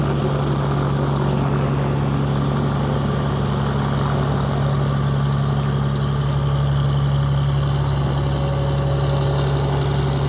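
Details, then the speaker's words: Cessna 421C twin, 375 hp per engine, first run-up after rebuilt magnetos, new spark plugs and redone exhaust: deep, steady, even propeller drone with no misses or surging; engine sounds healthy. "oh man that thing sounds good too doesn't it 375 horse per engine"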